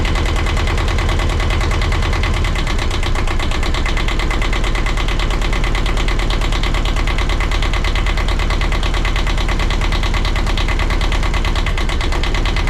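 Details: 1982 Catalina 30 small marine diesel, after replacing the blocked exhaust manifold that caused poor cooling-water flow, with thermostat and water pump refitted: even, steady thump of about three beats a second with no misses or knocks. Healthy idle.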